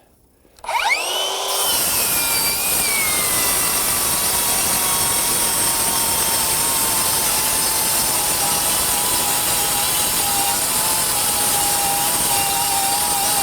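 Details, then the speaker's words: Metabo HPT MultiVolt C3607DWA 36V cordless 7-1/4" rear handle circular saw on battery: steady high whine through repeated full cuts, RPMs sagging slightly under load without stalling or cutting out; normal slight speed drop under load. "you can hear the saw bogging slightly and I wouldn't say bogging but you can hear the RPMs come down a little bit let's just keep her going and see what happens maybe slowing a little bit with the battery"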